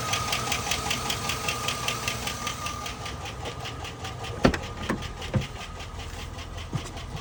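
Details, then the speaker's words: 2001 Chevrolet Silverado V8 idling with a sharp, even tick two or three times a second over the engine; owner suspects a stuck lifter, before trying a Seafoam treatment. "okay it sounds like a stuck leg lifter but I'd rather not I hope that's not what the case is but if it is it is okay"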